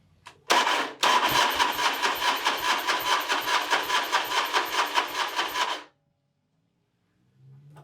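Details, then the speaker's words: Harley big wheel bagger with rebuilt engine, first start attempt: rough, labored starter cranking for about five seconds that never catches, and still no oil pressure. Owner suspects the starter was damaged by water. "That starter sounds like poo-poo. Still don't have oil pressure yet."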